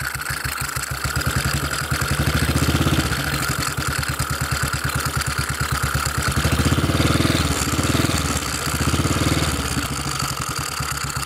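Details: Model 8 motorcycle engine, recorded cold then hot, with low thumping idle and an uneven knock about three beats a second; more noticeable at 40 mph and above, cause not pinned down.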